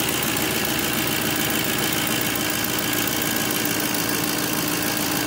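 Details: 2007 GMC Sierra Classic truck engine at idle after DIY oil pressure sensor replacement: the gauge no longer pegs at 80 on key power and oil pressure reads normal. Even, settled idle with steady hum, no knocking, ticking or stumbling.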